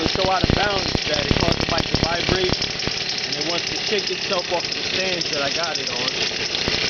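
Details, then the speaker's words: X7 midbike with stock 49cc two-stroke weedeater-style motor, just jump-started; crisp buzz rising and falling cleanly with each throttle blip, revs freely; healthy running. "I look pretty good. Not too bad. Not too bad. But uh does sound all right."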